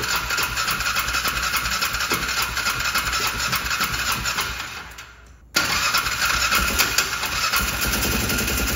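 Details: Polaris Ranger 500 side-by-side, reportedly sitting since 2020, air filter put back in; engine catches and runs roughly under a loud hissy rush that cuts out and returns; water ingestion while starting, first thought to be water in the exhaust.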